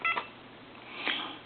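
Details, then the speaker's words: Mickey Mouse AT&T telephone after keypad cleaning, final checkout on a line: two short, clean, crisp dual-pitch key tones about a second apart; cleaned touch-tone keypad dialing properly. "So we know that this keypad is working now and that it's been cleaned."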